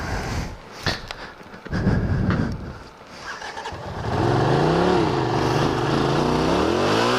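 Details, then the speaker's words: 1981 Honda CX500 starting cold for the ride home on a 54°F November day, helmet microphone; engine smoking slightly, owner thinks it sat a long time. Coughs and stumbles, then revs unsteadily. Cold-blooded engine stumbling, wants about 15 minutes' warm-up. "Wow, is this thing cold-blooded, man? It's ridiculous. It wants to sit and warm up for 15 minutes."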